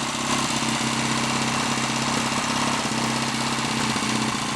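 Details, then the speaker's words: Lightly customized Triumph T140 Bonneville twin, first start attempt, hot-wired ignition, oil pump returning strongly, revs kept low while wet-sumped crankcase drains, no smoke: steady even idle with light mechanical rustle, no knocks or misses; normal idle. "that's an excellent starting point shouldn't be too long before we have this thing moving under its own power"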